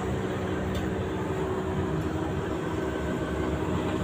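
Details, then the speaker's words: LG 15 kg washing machine stuck at 14 minutes remaining for five minutes: steady low drain pump hum drones on unchanged, no spin; cycle never advances, cause not yet found. "Suara trempa muter terus. Ini udah ada 5 menit tetap aja 14 enggak turun-turun. Terpam masih bunyi-bunyi."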